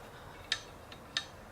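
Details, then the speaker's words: Ford Mustang V6 S197 dual mass flywheel, removed and turned by hand, gives sharp metallic clicks from worn-out springs. It was causing the vibration; the pressure plate was also worn. Worn dual mass flywheel. "it's not supposed to make it that sound and that's what was causing that vibrating that's what that's the problem with these dual mass clutches is that they just break really easily"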